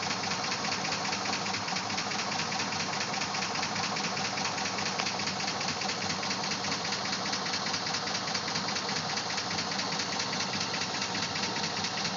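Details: Engine revved up a little, then let off: a quick, fairly regular tapping rides over a busy engine sound; owner unsure whether it is lifter tap or rod knock; cause unconfirmed.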